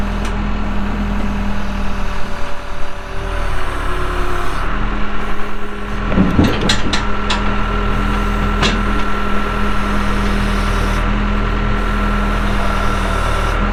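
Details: 1998 Case 580L Series II backhoe, Cummins diesel, 2,329 hours: steady, even, deep diesel idle with no knocks or misses; starts and runs good.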